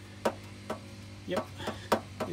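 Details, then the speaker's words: 2008 Honda Odyssey: sharp tinny metallic rattles in uneven taps over a low hum, from an exhaust heat shield that lost its support; owner plans to add washers. "the sound that I hear so somehow this hit Shield doesn't have any support anymore I need to put some washers in there"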